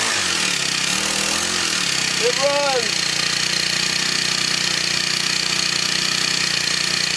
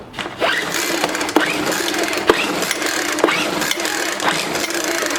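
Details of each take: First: Scrapped Craftsman four-stroke weed eater, spark plug loose, running after finding correct rotation: steady, fast, buzzy note with no misses; normal running. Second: Discarded Craftsman 4-stroke weed eater, pulled on choke with no throttle: about one pull per second, each a brief whirr that never catches or pops. No-start, not picking up gas; fuel line disconnected from carburetor.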